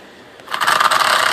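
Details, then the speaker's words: Stampede RC truck with sensorless brushless motor at crawl throttle: rough rattling clatter with a buzzing whine, then lurches like a popped clutch; motor cogging at low speed. "But you hear how bad it sounds, and you hear how when the clatter, the cogging stops, it's a lot like a vehicle with a pop clutch. It just goes."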